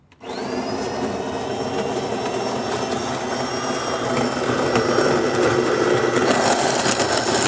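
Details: Refurbished DeLonghi Magnifica XS espresso machine with replaced grinder (new motor, new burrs, calibrated), grinding beans for one espresso shot: steady even whirring with no catching or rattling; grinder running smoothly and healthy.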